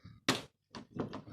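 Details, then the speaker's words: Chevrolet Lacetti central locking after replacing two faulty door lock actuators (rear left door had been buzzing): a sharp clunk then quick lighter thunks as all locks cycle, no buzzing; working normally. "закрылось открылось всё открыто закрылись все замки открылись все замки"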